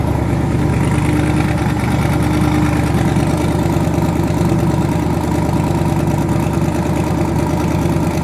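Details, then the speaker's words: Twin-turbo V8 truck, now running on eight cylinders instead of seven after an earlier dead cylinder was fixed (rockers suspected): deep, even idle burble with no missing beat or stumble; all cylinders firing, normal idle. "okay now let's race now we're on eight cylinders instead of seven"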